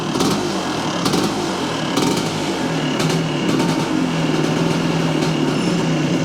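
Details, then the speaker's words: 1978 Yamaha IT400 two-stroke, freshly revived after storage: steady buzzing idle with even note, no stalling or stumbling; idle speed judged a bit low, needs bringing up; normal idle. "well it sounds good oh might need to bring that idle up just a little bit"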